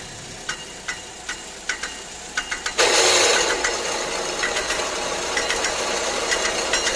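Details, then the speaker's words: 2016 Chevy Equinox 2.4L Ecotec with a loud noise when driving and idling, poor acceleration and an ABS light. At idle there are sharp irregular ticks, then a harsh grinding rush as the AC compressor clutch barely lets go. "The clutch on the AC doesn't seem to be wanting to let go. Barely letting go and causing a grinding sound. So that's the one noise."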